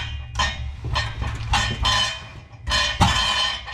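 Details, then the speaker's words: 2nd-gen Honda CR-V (2001–2005) exhaust being shaken during oxygen sensor and resonator replacement: bursts of loose metallic clinking and tinny rattle from inside the resonator, whose heat shield is half gone; suspected loose object inside, not confirmed. "Sounds like there's something in the inside of the resonator. Move you over here. This is the resonator. Yeah, sounds like somebody left a wrench in there."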